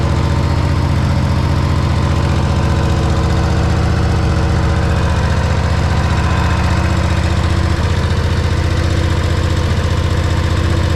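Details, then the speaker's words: Harley-Davidson Road Glide V-twin idling right after installing a one-piece Man O-War compensator replacing the clunky stock compensator; shifts easily into neutral, steady even lumpy beat about two and a half per second, no clunks or knocks; healthy normal idle. "All right, sounds good."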